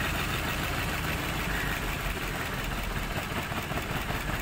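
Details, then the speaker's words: Maruti Suzuki Baleno with a check engine light, misfire and poor pickup: with the cylinder 4 connector pulled there is no change, and the idle stays uneven and lumpy. Cylinder 4 is dead; a coil or plug fault is suspected, to be checked by swapping coils between cylinders 3 and 4. "च number का socket निकालना कुछ भी काम नहीं हो रहा है य देख कितना हमारा गाड़ी मिसिंग कर रहा है"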